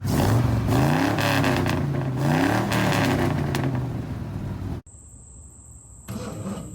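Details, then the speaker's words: 1969 Mustang V8 that sat 15 years: uneven, stumbling, lumpy revs under throttle blips, then cuts out; definite miss, owner thinks new plugs and plug wires will fix it. Oil reaching rockers on both sides. "I don't have my microphone on so I hope you can hear me but uh does have a definite mess I think some new plugs and plug wires will fix that"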